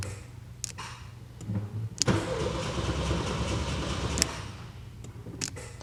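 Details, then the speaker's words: 1979 VW Super Beetle convertible, fuel-injected, off the road 8 years with fire damage, on foul old gas: clicks, catches, runs rough about two seconds, then dies; owner suspects low fuel pump pressure, unconfirmed. "wipers I can't believe it's running on this gas it smells like straight up horrible so that fuel pump might not be putting enough pressure"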